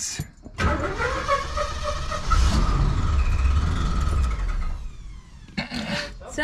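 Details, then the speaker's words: 1974 Ford Gran Torino Elite, new starter, car jacked up: a short, uneven crank with a dry rubbing scrape over the starter whir. The starter gear is suspected of catching the flex plate. "you think car flexed and it was hitting the fan trap that did not sound good"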